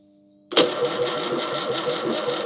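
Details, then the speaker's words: Fiat 600 engine, boosted with a jump pack and extra fuel: the starter turns it over slowly and unevenly, nothing catches; starter suspected rather than battery, unconfirmed; slow cranking, no start. "It doesn't sound like that battery's much good, does it? Or rather, the starter. I'm sorry, it's the starter I think is giving us trouble."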